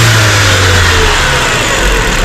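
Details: 2018 Range Rover Evoque petrol engine revved with an uneven, stumbling misfire; air leaking at the PCV valve on the upper cover, to be replaced and rechecked.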